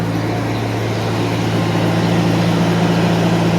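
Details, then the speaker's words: 1991 Mercedes 190E with new hydraulic lifters, cold start after sitting overnight, slight fuel bleed-off suspected: even low hum at steady cold idle, no lifter ticking; owner suspects exhaust pinholes or worn manifold gaskets; normal cold idle. "it seem fine to be honest I didn't hear anything"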